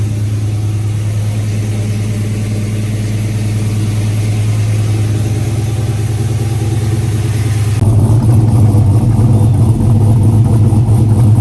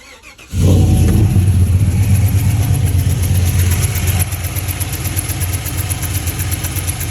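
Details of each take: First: GMC V8 after replacing the cylinder 2 direct injector and its melted seals, which leaked compression and caused a lifter-like tick: smooth idle and revs, deep even rumble, no ticking. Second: GMC V8 direct-injection engine, customer suspected a lifter tick: the cylinder 2 injector seal had melted and blown out, leaking compression; it starts and idles with a sharp, steady tick. Fixed with a new injector and seals.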